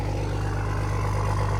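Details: Diesel truck in a snowy West Virginia garage, just cold-started: even, deep rumble holding a steady idle beat, no knocking or stumbling, warming up; normal idle.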